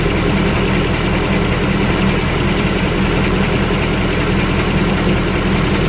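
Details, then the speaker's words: V8 with new engine after first oil change: steady idle with a light, fast tick on top and faint knock, a subdued version of an earlier knock; cause not identified. "I think it might be a toned-down version sounds like it's doing it and there might be a toned-down version something I can live with"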